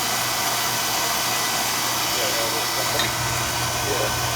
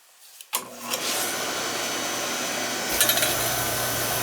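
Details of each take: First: Oil burner on a no-heat callback, after a suspect part was changed: fires right up with no delay, steady even flame roar with no puffing, rumble or surging; running clean. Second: Oil burner on a no-heat callback, protective relay tripping after a recent service with new nozzle: blower comes on with a steady roar and the flame catches a couple of seconds late; electrodes found set too high.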